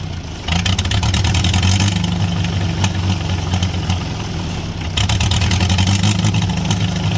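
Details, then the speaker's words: International Harvester B275 diesel tractor started with glow plugs and ether: catches and climbs to a loud rough unchecked roar that won't idle; runaway, injection pump rod not pulled back to shut off. "we went ahead got that to turn over and start uh but then it kind of ran away from us"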